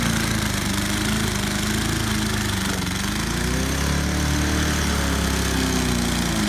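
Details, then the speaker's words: 2007 Snapper self-propelled mower, about 10 years old, knocking: engine screaming flat out with uneven surging popping; broken choke linkage piece holding throttle wide open, engine stuck at full throttle. "that's why it's running wide open because that piece is gone that's the where the choke holds that's part of it and it also messes with the idle oh that's why it's running wide open"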